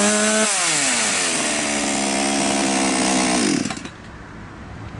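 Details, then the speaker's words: Chinese 4518 chainsaw just after carburetor replacement, started and revved: clean steady rising buzz, holds high speed, drops smoothly to idle; runs normally. "работает нормально подписывайтесь на наш канал всем удачи пока"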